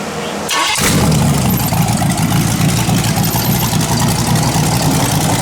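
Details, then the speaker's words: Rebuilt 408 small-block Chevy on a run stand with open headers, restarted before a heat soak: it catches and settles into a loud, choppy, uneven idle; the number one cylinder isn't firing right, suspected from a bad old plug. "So number one cylinder's not firing right, but not bad. And them headers like that don't sound that great."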